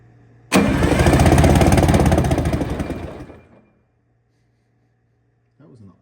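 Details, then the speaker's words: Detroit Diesel 6V92TA replacement engine for an MCI 9 bus, after blower and governor repairs, cranked with the fuel control held off: about three seconds of fast, even chuffing crank, roughly three beats a second, spinning freely as intended. "g to turn it to no fuel go ahead and just bump the starter for a second it's definitely turning over let it turn over"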